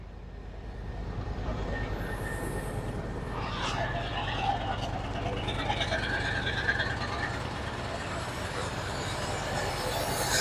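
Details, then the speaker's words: 1969 Chevy C60 truck with a 427 tall-deck V8 warming up, choke pushed in halfway: a low, ragged, lumpy idle because cylinder 1's plug wire is arcing to the windshield, causing a misfire. "Now, she sounds like shit, because if you look up right now, I still have cylinder number 1 over here live sparking on the windshield."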